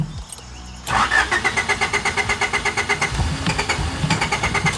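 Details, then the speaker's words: 3rd-gen Honda Prelude after fitting a fuel pump kill switch: the lines ran dry with the switch engaged, then after switching back and the pump priming, long steady cranking at about five beats a second until it finally starts. "Well, now there's just no fuel in it, so I guess like, hold on. There it is."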